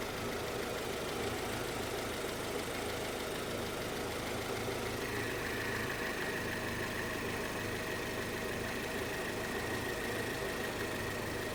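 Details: Honda CR-V (RD1) after replacing a burst small upper HVAC heater hose and refilling with water: quiet, steady idle with low hum, no knocks, squeals or stumbles; owner checking for head-gasket trouble.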